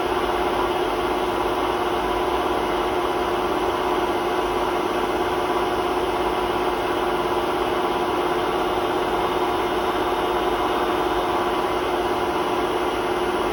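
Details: Hotpoint WMA32 washing machine at 800 rpm spin in its last run on bad bearings before replacement; constant loud roaring drone, never settling smooth; worn drum bearing rumble.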